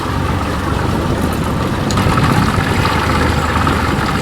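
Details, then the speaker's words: 1992 Johnson 60 hp outboard after repair, trolling on the water: low, steady putter with water and hull noise, runs evenly; owner thinks idle is a little low and needs a tweak. Normal idle. "Well, Miss Jstone sounding good. A little tweak. I think it's just a little low down at the bottom here."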